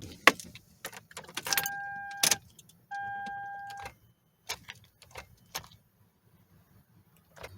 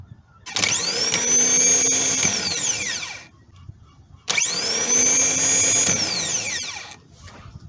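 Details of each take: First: 2011 Toyota Sienna, no crank no start, dash lights strong, jump from another battery didn't help: keys rattle and chimes ding twice but no click or cranking; starter suspected dead, tested before replacement. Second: New starter motor for a 2011 Toyota Sienna (no-crank no-start), bench-tested off the vehicle with battery leads before installing: two bursts of high, fast whine spinning up sharply and winding down after about two seconds; starter confirmed good.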